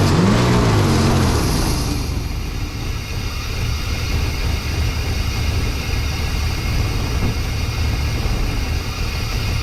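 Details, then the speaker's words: 1992 Chevy C1500 with its original small-block Chevy 350 TBI, recorded just after an intake change with the timing badly set: uneven, lumpy idle with a low rumble that hunts and never settles; it did not start right; rough idle from incorrect ignition timing. "be fair that video was when I just changed the intake and I had the timing all screwed up so it's not going to sound the best didn't start right"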